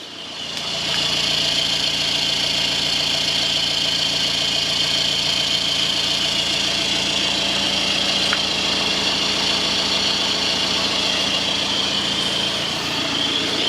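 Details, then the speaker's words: BMW with a refurbished engine, after its rough first start, with no exhaust smoke: even, steady idle with a smooth high-pitched hum and no knocks or misses; sounds like a new engine. "and you could even say it now sounds like a new engine"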